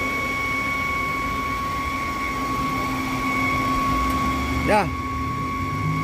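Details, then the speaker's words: Underhood idle: thin steady high whistle over quiet idle, stops with dipstick pulled; defective PCV oil separator with leaking diaphragm. "noise this is the old oil separator due to an unavailable availability of the set defective parts"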